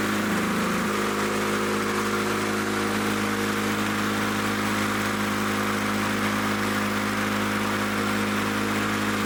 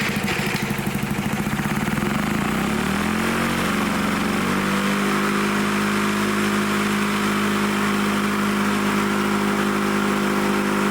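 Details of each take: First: Lawn-Boy Loafer dual-engine rider, front mower two-stroke with new spark plug: steady even buzz, no misses, running strong but settling below the desired speed; owner plans to bend the lever to add governor spring tension. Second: Lawn-Boy Loafer dual-engine rider, front mower two-stroke, carburetor leaking gas, needle set about one and a half turns: uneven revving settles to a steady even buzz that stays running; normal running, kill wire not working.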